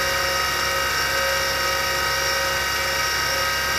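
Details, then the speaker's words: Former military Carter rotary converter on test run: steady high-pitched motor whine with a rough gritty edge from noisy worn bearings, 1960s shielded bearing grease likely dried out; bearings and carbon brushes need replacement. "i'm not sure how well you can hear it but the bearings are noisy and that's the issue with this with this thing"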